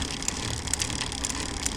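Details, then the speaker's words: GUSTO GTR SPORT TE road bike, ridden about five months, clicking while pedalling. Sharp light clicks about twice a second over freewheel and road noise; cause unknown. "when I was pedaling, there was this clicking sound."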